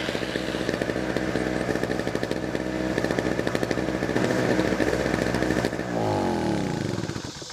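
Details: Small generator bought at a pawn shop, choke on the front, giving a steady, fairly quiet single-cylinder buzz at even speed, then winding down near the end; running normally.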